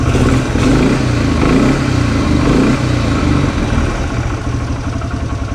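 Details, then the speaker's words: 2006 Polaris Hawkeye 4x4 single-cylinder ATV, started after sitting 10 months, held just off idle to warm up: light loose knock from the CVT drive clutch rollers under the exhaust note. "I don't know if you can hear it got a little knocking in there that is the sound of the clutch"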